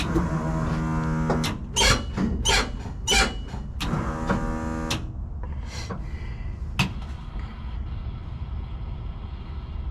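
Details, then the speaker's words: New MSD 6AL ignition box dead: starter spins engine freely in repeated bursts with no firing, as if no ignition system were connected; box took power but gave no spark. "It was just free spinning, like it didn't have any type of ignition system hooked to it."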